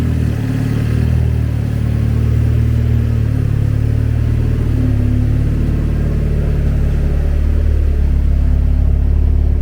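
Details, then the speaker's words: Untuned freshly started turbo four-cylinder in a Miata (project Exocet), after build: deep, steady rumble with an even beat, no knocks or rattles; normal running, just untuned. "Now, mind you, it's untuned. Yes, untuned, but..."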